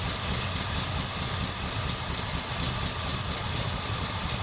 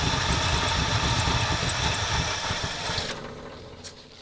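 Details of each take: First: 1977 Ford F250 351M V8, Duraspark II, after carb idle mixture set just over 2¼ turns out: smooth steady low idle with no misses; fixed, idling a little low. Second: 1977 Ford F250 351M with Duraspark II ignition, after plugging vacuum lines: uneven lumpy idle with irregular thump about three times a second, no improvement; cause not found, later suspected dirty carburetor and fouled spark plugs.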